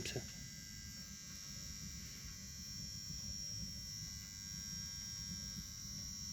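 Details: Engine idling with an uneven, stumbling low thump, running rough as if one cylinder is missing; misfire stopped after an injector was replaced.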